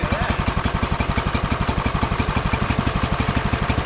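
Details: John Deere 110 mower sat about 10 years, just started after longer cranking: even, steady chuffing around four beats a second with no misses or knocks; idling smoothly and running fine.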